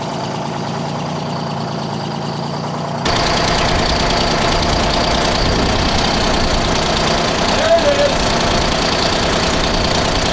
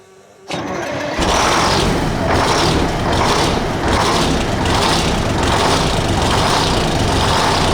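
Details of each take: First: 1975 Freightliner FLT Detroit Diesel V12 after fuel system work and a new injector: steady idle with even, rapid clatter after a cylinder comes back in, likely from air clearing; oil pressure 20-25; normal idle. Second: 1975 Freightliner FLT with a Detroit Diesel V12, long-sitting revival, after a fuel system prime and a new injector: it starts up, then runs with a rough, uneven, loping stumble. One cylinder on a bank is dead.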